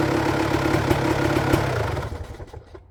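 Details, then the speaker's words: 1999 Honda CR250R two-stroke idling after a new exhaust gasket and springs were fitted; the front no longer leaks and it sounds quieter and healthy, with a steady crisp crackle. "It didn't leak whatsoever in the front, and the sound was much quieter in front, because I thought that the engine's noise was much greater before when it was leaking."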